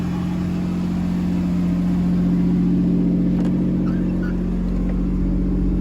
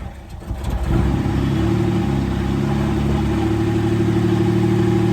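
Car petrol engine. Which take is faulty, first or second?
second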